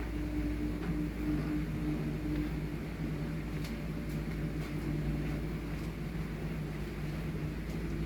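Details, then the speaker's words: LG inverter washing machine after repair of LE error, spin test: smooth steady low hum as the drum builds speed, no knocking or scraping, drum turning freely and lightly from the start, normal spin acceleration. "Nếu nó chạy Ok thì chúng ta sẽ thấy là cái lồng nó sẽ dạo ngay từ bước đầu nó sẽ trơn Chu nhẹ nhàng chứ nó không bao giờ nó bị mắc nặng các bạn nhá"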